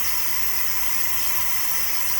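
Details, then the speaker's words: T-fal pressure canner depressurizing, gauge near the bottom of the blue: steady, loud hiss of steam from the vent, gradually slowing as pressure drops; normal. "Alright, you hear the noise is slowing down a little bit. This pressure is slowing down. You can tell from the steam, the sound of the steam."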